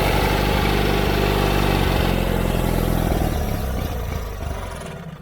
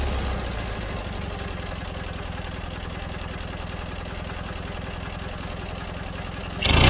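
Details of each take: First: John Deere 317 riding lawn mower that quit while mowing: small engine runs rough and uneven, then sags and dies within seconds; fuel starvation from plugged carburetor, fuel pump, lines and tank verified fine, carburetor cleaning needed. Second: John Deere 317 riding mower twin at steady idle after carburetor cleaning: even, regular firing pulses with no misses or surging; it had quit while mowing and wouldn't restart because the carburetor was plugged.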